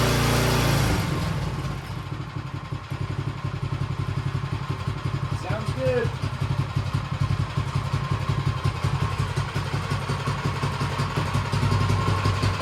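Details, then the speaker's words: Troy-Bilt 24-inch snowblower single-cylinder engine after tune-up, carburetor clean and timing correct: steady, even chug at low and high idle, no misses or knocks; runs healthy. "Run's good and purs like a kitten good low idle good high idle"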